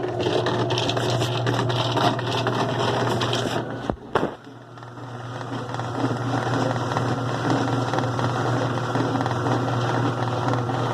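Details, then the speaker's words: 2005 Kenmore 70 Series direct-drive washer with a steady low hum and a rough rattling buzz in slow and delicate spin; the drain pump is suspected of being dirty inside, and the noise stops when running without the pump. "este problema puede ser la bomba del agua que está Ardiendo el ruido creo que está sucia por dentro"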